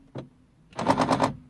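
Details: 2003 Mercedes C220 W203 driver's door lock on unlocking: rapid burst of about five sharp clacks instead of one clean click, passenger side normal; faulty central locking actuator.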